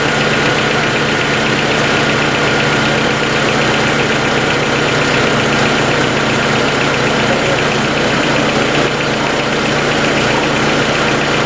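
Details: 1990 Honda CRX DX (non-OEM aftermarket distributor, ignition coil replaced) idling steadily with a light, quick ticking on top; owner suspects valves need adjusting, not confirmed.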